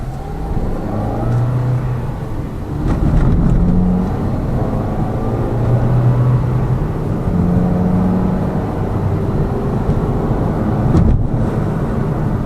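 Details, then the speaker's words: Lada Vesta Cross with AMT 2.0 robotised gearbox, full load, driving rough road, rail crossings and bridge joints, head-mounted camera; after replacing the front shock struts, stabilizer and engine mount the suspension knock is gone, only steady drone and soft thumps. "а а подвеска работает сейчас достаточно tisha после замены аморт"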